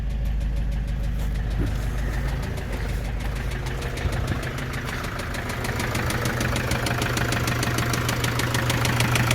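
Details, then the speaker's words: Opel Vivaro (Renault Trafic) 2.0 diesel: steady knocking about three per second over diesel clatter at idle, firming slightly with light throttle; owner notes long cranking before starting, source of knock unknown; engine knock at idle. "Сейчас будем завести у нас какой-то стук мотор Opel Vivaro 2.0 дизель ээ будем завести машину сейчас попробуем какой-то по сранный звук в моторе"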